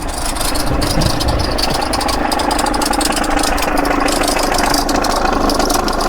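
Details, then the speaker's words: Holden/Chevrolet Epica VCDi diesel, 217,000 km: fast rattly clatter near four beats a second over steady idle with faint whir, gone when revved, back at idle; owner suspects timing tensioner pulley. "whatever that is. I'd say that's the timing tensioner. If you rev it up, it does go away. As soon as you let off, bouncy, bouncy."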